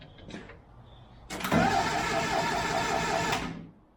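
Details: 1974 Daihatsu S38 mini truck, crank attempt after purchase, battery clamped on with vise grips: the starter spins the engine for about two seconds with a steady, even churning beat, so it turns freely and is not seized.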